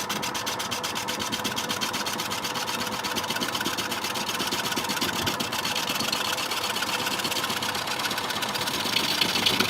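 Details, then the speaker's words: Record wood lathe turning a wet, heavy quilted sycamore bowl blank: a fast, steady flutter about four beats a second over the motor hum. The turner suspects something touching the tool rest, or a blank too wet and heavy; cause unconfirmed. "something's wrong here this warbling sound vibration is some kind think something was touching the tool rest"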